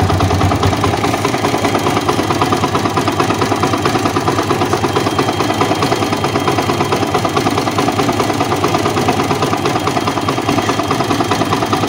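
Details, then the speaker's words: Old Yamaha Vixion single-cylinder engine idling with a rough, uneven clatter and knocking from the block that grows louder when hot, with power feeling weak when warm: piston slap. "ada suara gemetar gitu ya kembali sick.he dan suara pegang ada suara ketukan dari bagian blog ini misalnya sampai keras ini kalau panas tambah suaranya"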